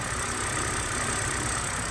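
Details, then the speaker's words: BMW E90 325i N52 warming up after a rough-idle fix, the cause being a few improperly connected wires, idles smoothly with no misfire. Audible tick-tick is the injectors; the check-engine light is still on. "That tick tick tick tick that you're hearing is the uh injectors, but the car is not misfiring."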